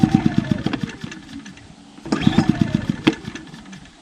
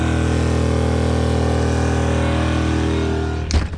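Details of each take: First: Small Duromax 2000 W inverter generator trying to start a Coleman Mach 15k BTU rooftop AC on a 2004 Winnebago Minnie, baseline before the EasyStart 364 soft starter is installed: light putter, then the load slams on and the engine bogs and labors. It is instantly overloaded. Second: Small Duromax 2000 W inverter generator running on propane, after sawdust was cleaned from its intake and an EasyStart 364 was fitted to the Coleman Mach 15k AC: steady, even hum under the AC load with no surging. It runs properly and the AC blows cold.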